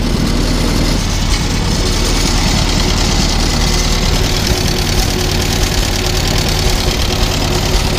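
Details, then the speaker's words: Old tractor running and driving, described as a pretty quiet engine: a soft, even idle beat with no knocks or misses. It shakes at one engine speed and has a small oil leak. "actually a pretty quiet engine believe it or not"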